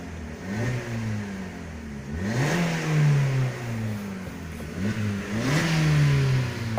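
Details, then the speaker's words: 2020 Maruti Swift petrol engine, fine cold but misfiring and knocking once warm, odd-smelling exhaust, revved in short blips: rough uneven running; misfire and knocking from diesel contamination in petrol. "थोड़ा गर्म होने के बाद गाड़ी missing करना start कर देती और गाड़ी नॉकिंग भी होना स्टार्ट कर देता है इसमें"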